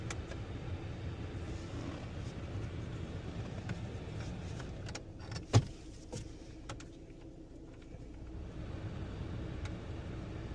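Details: 2017 Jeep Compass idling with blower on: faint, irregular clicks from behind the dash for a few seconds after turning on AC or heat, traced to a failing recirculation door actuator.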